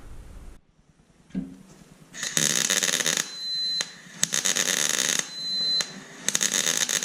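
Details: 1993 Ford Bronco project, shop at 20 degrees; gas tank valve (welding gas) makes bursts of sharp hissing with a thin steady whistle cutting in and out every second or so; intermittent, cause unknown.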